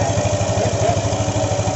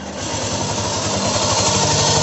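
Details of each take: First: Yamaha NMAX after retightening a loose CVT front pulley nut that caused abnormal CVT noise: even, regular engine pulse with no rattle or grinding from the belt drive; normal running. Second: Yamaha Nmax scooter: steady fast rattly clatter over the running engine, about four beats a second, from the CVT; cause is a loose front pulley nut.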